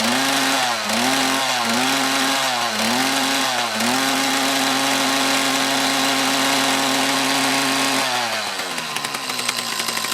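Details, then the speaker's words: Mantis tiller with two-stroke Kioritz Echo engine, after repair of bogging under load: quick blips then steady even high speed, no longer bogs on acceleration; normal running. "okay that seems to be happy again fix that little issue should be good to go for a little bit"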